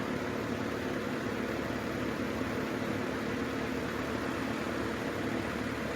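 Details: 1950s Wizard box fan after cleaning and service, run in reverse mode on low speed: soft, steady airy rush at constant pitch, no ticking, rubbing or wobble; motor runs smoothly.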